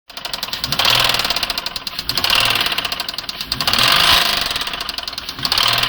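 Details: 2009 Nissan Maxima with a suspected bad motor: sharp metallic knocking rides over each rev, getting faster and louder as the engine climbs and easing as it drops. Internal engine knock.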